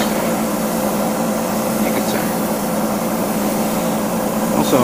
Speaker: gotta clean my airbrush because it's starting to stick as you hear the hissing sound